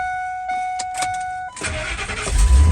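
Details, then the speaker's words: Ford Super Duty F250/F350 (2000 F250, 2003 F350) after neutral safety switch replacement: chime, brief crank, engine catches at once and runs steadily; normal start. "perfect all right guys uh Jack the vehicle down close it off let's see how easy it's going in gear perfect now we approximate turn it off start it back up"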